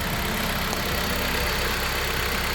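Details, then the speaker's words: 2018 Dodge Journey 2.4L four-cylinder at idle after alternator replacement, microphone near the engine, charging 14.6–14.7 V: steady even idle with no knocks, ticks or whine; sounds way better. "Everything's going pretty good. Yes. Sounds way better."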